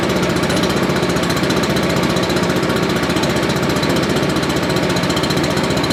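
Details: Briggs & Stratton 9.5 hp engine on a Billy Goat leaf blower, starting fluid added; fast steady chugging, cranks continuously but never catches; owner suspects carburetor shot, ignition or valves; crank no start.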